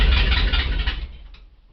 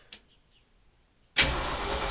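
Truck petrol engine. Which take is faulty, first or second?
first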